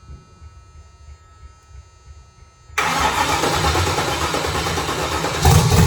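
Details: LS-swapped Chevrolet S10; after a short quiet spell the engine catches at once and settles into a steady, even, muffled idle: normal start and idle.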